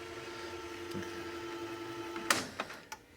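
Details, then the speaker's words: 1985 Magnavox VR8530SL01 (Panasonic-made) VHS VCR, original belts still tight and uncracked, only idler tire replaced: fast forward on full reel gives steady even whir then three clunks on stop, no slipping, normal. "So that's working fine on the original belts. The belts are nice and tight still, no cracks."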